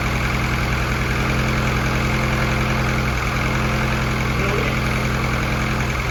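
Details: F24 newly built motor, first start-up run: steady even idle with a smooth low hum, no knocks, misses or hunting, no leaks; fresh engine sounds healthy, valve lash to be checked after break-in.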